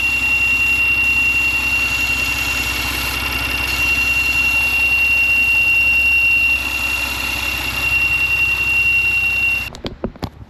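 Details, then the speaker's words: Porsche Macan, engine warm after a few throttle blips, heard at the engine bay: thin steady high tea-kettle whistle over the idle, first thought to be pulleys but traced to the PCV valve; leaking PCV valve, replacement valves bought. "All right, this is the noise that I thought was coming from here, but it's not. Let me show you. This is where it's coming from. So this is going to be your PCV valve."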